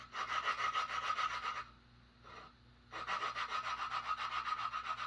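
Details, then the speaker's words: Honda engine that sat four years, valve lapping with compound by suction tool: coarse, gritty rasp in quick back-and-forth strokes, about three or four a second, still loud, so valve isn't seated yet; sound fades as it seats. "eventually that sound pretty much goes away basically you want to go all the way around until it gets quiet"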